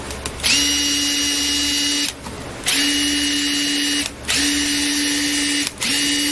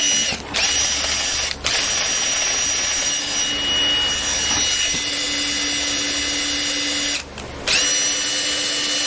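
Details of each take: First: Makita DTD146 cordless impact driver after full maintenance and hammer case greasing: three even bursts of about 1.5 s, steady pitch and smooth rapid hammering; earlier odd noise, possibly from lack of grease, gone; healthy. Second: Makita DTD146 cordless impact driver after full maintenance and hammer-case greasing, free run: high steady motor whir with faint uneven tone, fading as grease spreads; slight abnormal noise.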